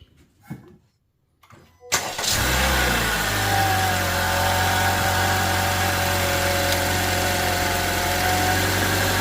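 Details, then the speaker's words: 2022+ Honda Civic 2.0 LX after a new serpentine belt was fitted and debris stuck behind the crank pulley was cleared: it cranks, catches and settles to a smooth, even idle with no knock, chirp or rub. The earlier noise is gone. "We're gonna start the engine and take a look again and listen if that sound is back. So seems like it's okay. Seems like it's okay."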